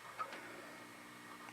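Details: During an EICO 667 tube tester repair in a quiet room, faint, irregular tiny clicks come and go: the recording Nikon camera's autofocus motor is hunting, not the tester.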